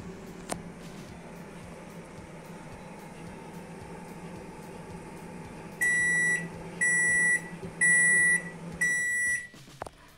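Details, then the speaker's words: Microwave oven after WD-40 flushing of a glitching sealed encoder and cleaning the control board, heating water: steady low hum for about six seconds, then four evenly spaced beeps; runs evenly, normal operation. "сейчас микроволновая печь по звуку работает ровно отлично в общем ремонт можно считать успешным"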